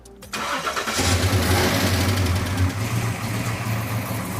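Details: V8 after correcting ignition timing (balancer remarked; 30° advance had actually been 60°): short crank, catches at once and settles into a steady, even rumble with no pinging; timing now sounds right.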